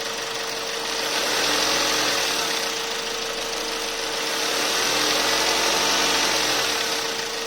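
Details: Car run after oil change, oil-system flush and combustion-chamber decarbon for glow-ignition pre-ignition, with Torch Iridium plugs at 8000 km; even engine hum with a steady high whine and gentle rev changes, no knocking; normal running.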